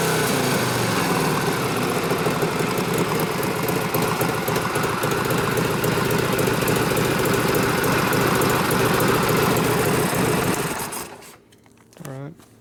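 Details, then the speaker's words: 1967 74ci Harley shovelhead FLH after assembly and transmission rebuild, warming up: lumpy V-twin fast idle, slightly uneven before cutting off; mid-range leaning out as it warms so it runs better, mixture screw being set near one turn. "as it warmed up the mid-range is starting to lean out so it's running better"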